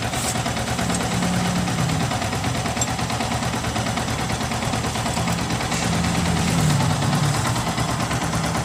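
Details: Yamaha R15 single-cylinder after engine rebuild for rough top-end noise caused by too-tight valve clearance wearing the valve stems and adjuster screws; steady even idle with no ticking or knocking: normal idle after repair.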